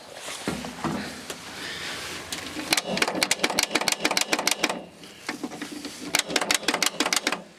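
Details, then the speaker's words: Sawmill wheel loader sat 20 years: sharp crackling snaps, about three a second, with no cranking underneath; jumper cables arcing badly and the starter not spinning. "I don't know why that's just not spinning without arcing so bad. I don't want to catch these woods on fire."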